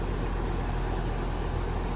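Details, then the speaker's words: Goodman AC unit after capacitor replacement: compressor starts and runs with a steady low hum and even rushing, no clicking or stalling; previously compressor would not start while fan ran. "there's our compressor ticking on we change the capacitor out and we should be able to look at our gauges and see a difference in pressure"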